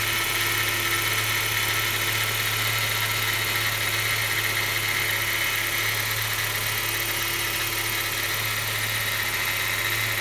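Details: BMW 116i after timing chain replacement, every morning on cold start: steady idle with persistent thin metallic whir and faint irregular ticking; cold-start noise, cause undetermined.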